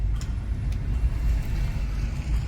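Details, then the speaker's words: 2016 Nissan Leaf SL with warranty-replaced 40 kWh battery, driving down a parking garage with windows open: only low tyre rumble and faint contactor clicks as power modes switch; no clunks, suspension good, brakes quiet; normal EV driving. "Coming down through the parking garage here, windows open. No real noise from this thing at all. Suspension's good. Brakes are quiet."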